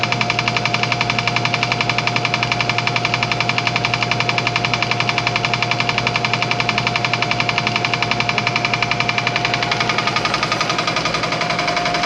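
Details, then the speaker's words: Old air compressor, reassembled after tank hydrotest: steady pump run with a crisp even click about 85 times a minute; the click is just the check valve, nothing wrong with the pump, normal running. "The clicking sound that you hear is the check valve. That's all that is. There's nothing wrong with the pump."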